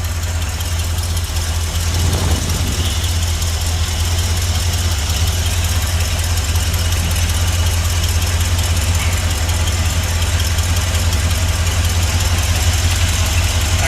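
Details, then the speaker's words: Engine with 34,000 miles that sat for years, checked for a lifter-like rattle: a steady, smooth idle with only a faint tick. That tick is suspected to be exhaust at the manifold. "Still clicking? No, it's just your engine. It's running smoother."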